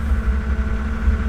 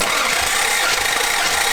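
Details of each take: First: Toyota Celica Supra after head gasket, new valves, belts, seals, water pump and alternator, misfire fixed: low, steady, smooth idle with no ticking or knocking; idles high when cold, dropping to about 800 rpm warm; runs well. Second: Toyota Celica Supra 5M six, first start after head gasket job with new valves, water pump and alternator: rough, stumbling uneven run for a few seconds then cuts out, a misfire later traced to a loose injector wire.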